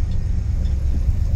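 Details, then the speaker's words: Ford F250 Super Duty with a 460 big-block and ZF5 five-speed, driving in snow. A deep, steady hum sits under the driving rumble from front locking hubs left half engaged. "so so no potatoes you can just hear the hubs humming because they're still half locked in"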